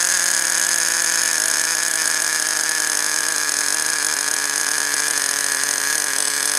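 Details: Small nitro glow engine idling during break-in, first start after priming fuel line to carburetor, before high-speed needle tuning; steady high buzzing tone holding one pitch, no hunting or misses, normal even idle.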